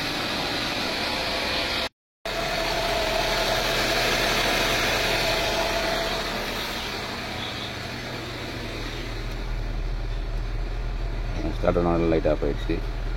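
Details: Maruti Swift with starting problem traced to a missing earth from a relay, started by direct connection: catches and settles into steady even idle, no knocks or misses; engine itself healthy.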